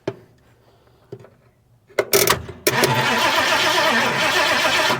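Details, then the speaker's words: 1971 Ford Mustang fastback (possibly Mach 1), abandoned over 20 years: starter clicks a few times then churns steadily for seconds but never catches; cranking with no spark seen at corroded points, crank no start. "Nope, not sparking yet."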